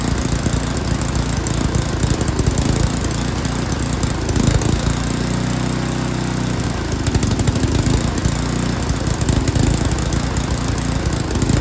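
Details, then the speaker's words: Yard King snowblower, full throttle, choke on; runs rough with surging and stumbling, then steadies and smooths as the carburetor high-speed mixture screw is set. "a lot of times you can just hear the engine you can hear it's running real rough and then you make an adjustment and it picks up and it sounds better"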